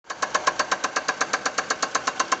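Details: Chevrolet Celta 1.0 after cylinder head work without replacing rod bearings: sharp even metallic knock about eight times a second over a steady idle, all cylinders firing properly; connecting rod bearing knock.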